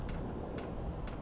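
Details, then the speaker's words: Van diesel heater fuel pump heard from outside at about one or two degrees: light crisp ticks about twice a second over a low steady rumble; normal dosing. "I don't know if you can hear the ticking you can only hear the ticking from outside by the way oh yeah quite happy about that"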